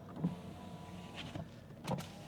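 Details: 2013 Mercedes S550 at a Copart salvage yard: power window motor hums smoothly and evenly as the glass travels, with a soft thump at the end of travel; window working normally.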